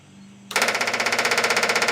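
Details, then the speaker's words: Freshly built Ford 347 stroker in a Mustang, carburetor on, preliminary timing set; key on, fuel pump primes with quick steady ticking about sixteen sharp clicks a second, even and unbroken, building 5.5 psi fuel pressure; normal. "I going to turn on the key and see if I get fuel pressure so uh we want to listen for the clickity Clack and see if we get fuel"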